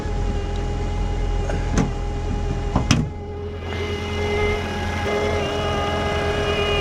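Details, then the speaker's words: 2014 Ford Fusion 1.5L at idle with hood open; steady high singing whine holds pitch over the idle; alternator not charging, battery drained, alternator replaced afterward. "You can hear that alternator singing. So, and it doesn't charge."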